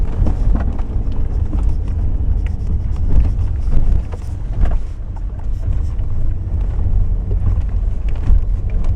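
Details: Toyota RAV4 steering rack knock: irregular hollow knocks and clicks over low road rumble as the wheels load up while driving, recorded on a lift and in motion; loose, worn steering rack.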